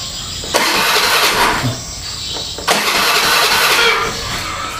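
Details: Honda Beat scooter cranked twice on the starter for a couple of seconds each, never catching. The regulator/rectifier was already replaced and ignition spark was confirmed present; it turns over but won't start.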